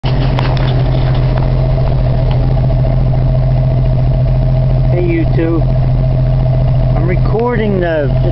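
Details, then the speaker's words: 1981 Jeep idling after hydraulic lifter replacement and choke and timing adjustments, heard at the exhaust pipe. There is a deep, even exhaust rumble with no popping or hesitation: a healthy idle. "if you notice there's no popping there's no hesitation as a nice steady exhaust"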